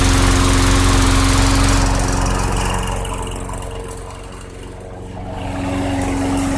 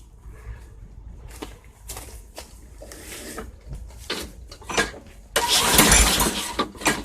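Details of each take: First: 2006 Craftsman 917.376160 6.75 hp push mower on 90-octane ethanol-free fuel, primer bulb possibly not working, deck rusted out: a smooth, regular putter that softens briefly and comes back strong with no stumbles or rattles, so the engine is healthy. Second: 2006 Craftsman 917.376160 push mower pulled from a junk pile, with thin, gasoline-smelling oil and carb cleaner sprayed into the intake: pull-start, then a couple of loud pops as it catches and dies. Owner suspects the carburetor is toast.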